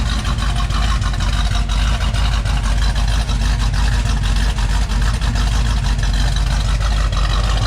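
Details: 1978 Ford Bronco, freshly rebuilt matching-number 351M with Comp Cams 284HR hydraulic roller cam, Edelbrock Performer intake, MSD distributor: deep, steady, slightly lumpy V8 idle, no knocks or ticks; good temperature, high oil pressure; normal idle before test drive.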